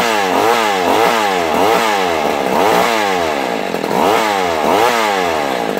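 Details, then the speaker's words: Vintage McCulloch Mac 110 two-stroke chainsaw (2.0 CID), recovered from a dump where it sat in water, on its first run after restoration. It revs well above idle and surges about twice a second because the idle screw is turned in too far. "Too much. Yep, now we went in a little too far."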